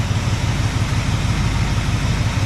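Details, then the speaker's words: Cadillac 390 V8, glitter in oil, warming up with idle turned way up: deep, even, quiet idle burble with no knocks or ticks; normal idle. "finally thats good though that that motor is so quiet then I"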